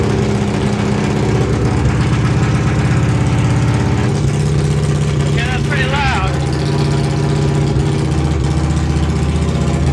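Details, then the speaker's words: Honda GL500 V-twin with new custom stepped unequal-length headers, no mufflers, carbs not yet rebuilt. Raw, very loud uneven bark with a rev blip; far too loud from open headers, and it leaks fuel. "wow that's loud"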